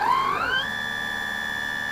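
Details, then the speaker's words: Sensored Astro 3220 BLDC motor in delta with about 20-22 degrees electronic timing advance at maximum RPM: clean whine climbs quickly and holds one steady smooth tone, drawing about 4 A versus about 7 A uncorrected; normal running. "And we can immediately hear the motor runs a lot smoother there."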